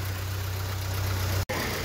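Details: VW Fox 1.0 with a top-end noise blamed on a lifter, oil pressure above 3 bar, engine warming from 33 °C: a low, even idle hum with no tapping or knock riding on it, a normal-sounding idle.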